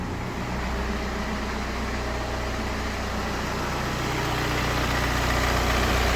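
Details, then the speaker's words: BMW 1 Series (118d/120d) N47 2.0 diesel after repair of knocking, no oil pressure light, oil and filter replaced: steady, even diesel clatter at smooth idle, no knock or misses; perfect start, no lights, no errors, fixed. "Perfect start, perfect sound, no lights, no error. It's fixed."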